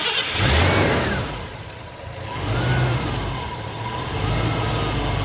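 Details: 1990 Ford Mustang petrol engine running while base timing is set; steady even low rumble with slight rise and fall in speed, smooth: normal running.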